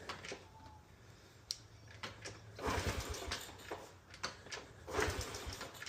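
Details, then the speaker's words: 2007 Honda CT110 just after new cam chain, tensioner and tensioner tip, cold start on choke: small single putters steadily at fast idle, no chain rattle or slap, valves faintly audible; sounds smooth and healthy. "Uh choke off. No more cam chain noise, that's for sure. Sounds really smooth."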